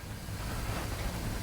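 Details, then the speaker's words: House plumbing with kitchen faucet running, after adjusting the pressure control (reducing) valve and cycling the master shut-off: soft steady rush of water with no whistle or squeal; squeal fixed, lock nut retightened. "so right now that seems to have alleviated the issue tighten the lock nut back down and there you go"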